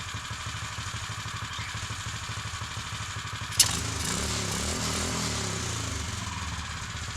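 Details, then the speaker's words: Custom Mega Moto 80 minibike, chain off, in the garage after fixing upside-down carburetor floats: even quick putter at idle, then a clean throttle blip that settles smoothly; sounds hardy, running healthy. "but it looks good and it sounds good it sounds really Hardy now I'm glad to see that it's running"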